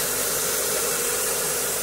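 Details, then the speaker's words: Renault Scenic 1.6 after water pump, timing belt, spark plug and oil change, first run with no coolant yet, smoking; steady even smooth idle, no knocks, ticks or misses; normal idle. "that will burn off i'll just leave it ticking over and hopefully don't turn off"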